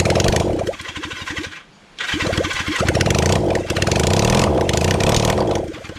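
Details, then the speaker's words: Kawasaki Zephyr 750 motorcycle, carbs and exhaust just refitted, choke on; long bursts of steady starter cranking at about four turns a second, never catching. Cranks but won't start because the fuel tank has run empty. "so this is me turning over the bike for a long period of time before I realized that I've G it a f well still una aware that I've run out fuel"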